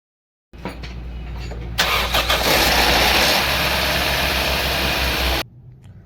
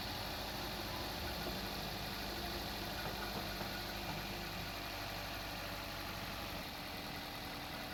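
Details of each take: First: 2015 Toyota Corolla GLi 2NZ engine at start-up: a sharp, rapid ticking clatter over the idle; it is very noisy at first and the tappets get noisy once hot, so worn tappets are to be serviced. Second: 2015 Toyota Corolla GLI, 2NZ engine, after tappet adjustment and timing refit (previously noisy, tappet noise when hot): steady smooth idle with no top-end tapping; normal idle.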